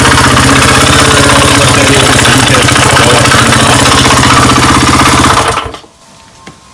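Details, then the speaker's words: 1998 Honda XR80R, long-sitting non-runner, first run: loud sharp clacking in time with a fast single-cylinder idle, then shuts off; owner suspects piston and plans to remove the head: top-end clacking. "oh a definite clacking in there I think I'm gonna have to take the head off does not sound good"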